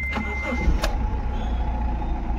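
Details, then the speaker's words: Honda Amaze diesel after repairing open number 3 injector circuit by replacing the connector socket and taping the wiring. Short crank, then even, steady idle with no stumble, revs cleanly; misfire solved, all cylinders firing. "यहां पर मैंने गाड़ी start कर दी है और missing का problem था solve हो गया है रेस भी हो रहा है बराबर"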